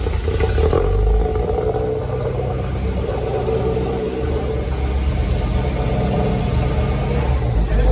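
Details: Tofaş with freshly rebuilt engine, in the workshop: engine pulls up and settles back cleanly on the revs with no knock under the workshop clatter; healthy rebuilt motor.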